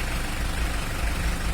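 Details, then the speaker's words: Mitsubishi L300 diesel before injection pump timing adjustment, heard from the front of the engine: harsh, uneven clattering over a deep lumpy idle, rough because the injection pump timing has not yet been set. "Dari sini Om dari depan kayak opo dari depan itu yang jelas ya tetap Pod wa Mas tadi belum diur Buny kematak-kemeratak kasar gak karuan"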